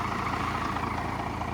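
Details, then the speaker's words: First-gen Cummins diesel truck, started after the block heater was plugged in overnight and the battery charged: a slow, lazy idle with an even chug and no misses. It idles too low from insufficient fuel; a new fuel screw is to be turned up. "she fired up pretty good even though it's still idling too low but"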